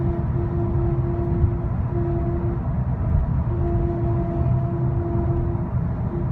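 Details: 2010 Skoda Octavia 1.6 CR TDI driving above 60 mph, with or without cruise control: steady mid-pitched whine over road rumble cuts in and out intermittently, louder in person; cause unknown.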